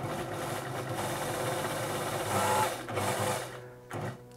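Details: Elna Electronic TX sewing machine after repair of worn motor brushes and a faulty resistor: smooth, even stitching hum at steady speed without stutter or hesitation, then winds down cleanly; runs properly.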